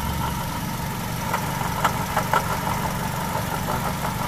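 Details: Engine heard from underneath at idle on a lift, grinding in front engine area, louder with A/C load: rough, gritty whirr over a steady idle, pointing to a worn water pump bearing.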